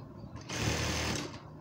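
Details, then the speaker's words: Juki industrial sewing machine after hook timing reset to hair-width gap; fast even whir with steady needle clatter, no catching or knocking; timing now correctly set, normal sewing machine running. "तो मैंने अलग अलग लगाया की इससे अच्छी setting नहीं हो शक्ति और यह देखें यह टाइमिंग बिल्कुल सेट हो गई है"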